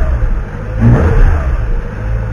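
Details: Peugeot 206 S16 after exhaust manifold removal and repair for vibrating cross-pieces. The engine climbs smoothly through a rev and settles back with a steady, deep exhaust note and no ticking or puffing: normal revving, no more noise.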